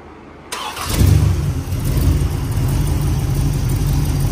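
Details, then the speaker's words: 403 Oldsmobile V8 freshly built, test-run on an engine stand with a Demon carburetor (idles best of carbs tried); cranks, fires at once, settles to near-smooth idle with slight audible cam lope from a modest cam; normal idle. "I mean it's not glass smooth but man it's damn close you know it's definitely got a cam you can hear it I mean you can hear the cam shaft in it"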